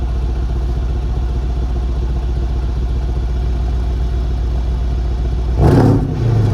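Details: Copart auction Mercedes CLS 63 AMG V8 heard at the rear: deep, steady burble, then a quick throttle blip rising and settling smoothly. The car is nearly out of gas, with tire-pressure and auxiliary-battery faults showing. Exhaust sounds healthy.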